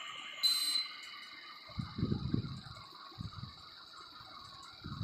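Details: Indoor AC unit chimes once, clear and high, for several seconds over quiet background with soft knocks: normal switch-off signal, heard after fixing the direction of a newly fitted swing motor whose flap had closed on switch-on and opened on switch-off.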